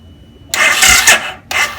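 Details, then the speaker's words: Suzuki 800cc low-compression V-twin bobber with its battery drained to 11.2 V, on a Topdon T01 jump starter after a 30-second charge wait: two short hissy whirring cranks with no firing. It does not start; the jump is not immediate. "almost all right so it's not in immediate jump start it's not like connecting a battery to battery or anything like that"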